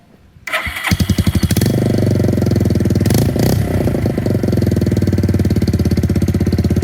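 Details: 2002 Suzuki GZ250 Marauder with an unbaffled straight pipe, after a carburetor needle shim adjustment that fixed a throttle dead zone: it catches quickly and settles into a steady, even single-cylinder thump with a loud exhaust, running cleanly.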